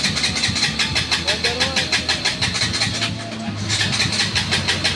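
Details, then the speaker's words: KTM Duke 200, hard starting, dash display dead, dirty throttle body suspected before cleaning: engine fires in ragged bursts, sputters and stalls right after starting instead of idling; cause not confirmed. "So ayan, papansin niyo hard starting. So aandar siya mo aso lang mamamatay magtuloy."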